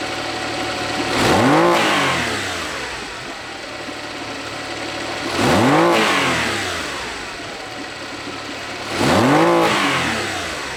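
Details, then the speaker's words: Honda BF40 outboard on a 14 ft boat, top speed only 25 mph: on throttle blips the pitch climbs, then sags instead of pulling through. Bogging from lean fuel starvation, fixed by soaking carb jets and replacing small O-rings. "uh in this particular segment you can clearly see how it's really barging down as s"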